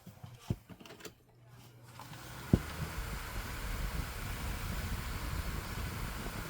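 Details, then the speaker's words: Lasko 2000 12-inch oscillating desk fan with a Panasonic motor apparently meant for a 16-inch fan, on high speed: click at switch-on, then a steady loud rushing roar; overpowered motor spinning the small fan far too fast. "This thing sounds like one of those Dayton shop fans with the elephant ear plates. That's how fast this thing is running."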